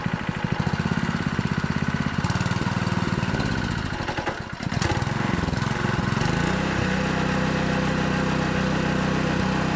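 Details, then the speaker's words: Honda GX200 small engine on a 2-inch water pump after carburettor cleaning and fresh gas: chugs unevenly at about three firings a second, then settles to a steadier hum, still runs only on full choke and won't run off choke; lean/fuel delivery issue suspected. "Check see if we missed anything cuz it still will only run on full choke. It won't run when you take it off choke."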